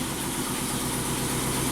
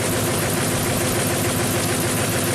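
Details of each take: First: 2008 Ford F-250, 5.4L V8, 219,000 miles, swapped engine, after zip-tie, solder and WD-40 fixes: even, steady V8 idle with a smooth low rumble and no stumble or skipped beats; normal idle. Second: 2008 Ford F-250 5.4 L V8, 219k miles, replacement engine, idling with an uneven loping beat: cylinder 8 misfire from an unplugged or loose coil connector, later secured with a zip tie.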